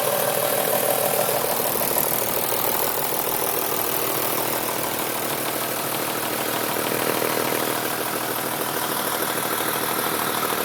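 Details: BMW M3 3.2-litre engine at idle: even idle carrying a sharp, loosely regular metallic ticking clatter about three per second from the top end; owner suspects a VANOS problem, unconfirmed. Abnormal engine noise at idle.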